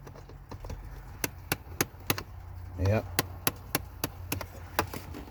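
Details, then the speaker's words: 2011–2014 Ford Explorer, engine off, ticking behind glove box at car on/off; sharp dry ticks about three a second, unevenly spaced, confirmed after unplugging the part; failing HVAC blend/recirculation door actuator. "that's definitely the issue now"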